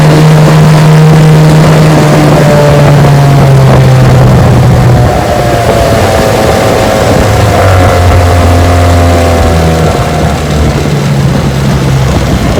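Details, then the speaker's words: Restored 1968 Johnson/Evinrude 9.5 HP outboard on a 14-foot Feathercraft at full throttle: high steady two-stroke drone holding pitch without stumbling or misfiring; healthy. "Yeah, she's a screamer. Just perfect."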